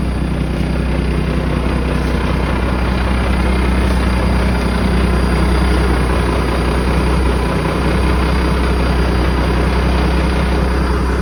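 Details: 1987 Ford LN9000 house-moving/wrecker truck, diesel, just revived after sitting in a field about 20 years: deep, steady idle with an even beat around two hundred a minute, no knocks or misses; healthy engine.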